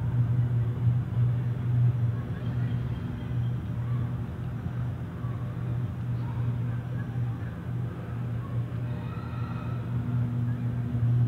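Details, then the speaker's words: Loud, steady, low hum heard from a distance at night over faint street rumble while the sky glows bright, later found to be a Con Edison transformer explosion in Astoria, Queens; transformer fault hum growing louder. "it's humming really loud the humming is getting very louder so I never seen nothing like this before"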